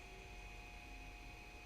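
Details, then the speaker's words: Ender 3 3D printer after fitting an SKR Mini E3 control board; on power-up the LED lights and the small cooling fan gives a quiet steady whir with a thin constant high tone, no rattle, running normally. "all right so now we have a led and fans came on and that kind of thing"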